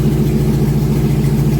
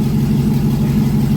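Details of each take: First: 2001 GMC Sierra 1500 HD V8 just started after the injectors were cleaned again: even, steady idle with no misses or stumbles; check-engine light not flashing, no misfire, though another noise remains. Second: 2001 GMC Sierra 1500 HD V8 at idle after a fuse problem was fixed, before the injectors are pulled and cleaned again: uneven, lumpy pulse with occasional stumbles; owner says it still has a misfire, cause not confirmed.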